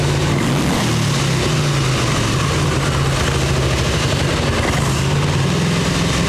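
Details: 1989 Harley Ultra Classic Tour Glide, Evo with bottom-breather butterfly carb, factory plugs, warming up; starts and runs on choke but dies when turned off; low loud lumpy V-twin idle held steady on choke.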